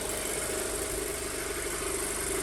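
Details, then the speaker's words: 2007 Audi A4 2.0 FSI, 141K miles, start after engine rebuild for low oil pressure, idling steadily and slightly fast with a faint shimmy, no misfires or check engine lights; possibly ECU and purge flow recalibrating. "kind of a higher revving sound that i am used to you can tell there's a little bit of a shimmy but i'm not getting any misfires on the engine which is great"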